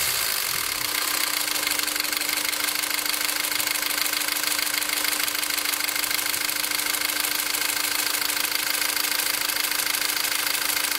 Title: engine noise after 2nd TCT